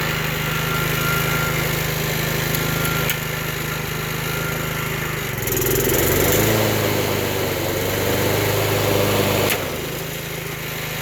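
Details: Vintage Toro GTS 3-speed self-propelled push mower, model 20622, original 5 hp Suzuki single-cylinder with blade clutch, sat for years: steady even hum that briefly shifts pitch and settles, running normally at idle, clutch not engaged.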